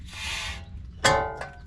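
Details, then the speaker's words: Second-gen Toyota Sequoia front brakes, new rotor spun by hand after install: raspy metal scrape ending in a ringing scratch; rotor is rubbing on the dust shield. "make sure this thing can spin freely without hitting anything because if it's rubbing on the shroud I'm gonna have to bend that shroud"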